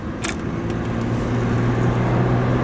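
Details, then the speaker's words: Road test after replacing failed cheap wheel bearings, window up: only steady tyre roar at cruising speed, no hub hum or growl; much quieter than before, normal wheel bearings at road speed. "sounds better anyways she put up this window somehow and then uh able to hear it better yeah it sounds better all I hear is tire noise now that's good"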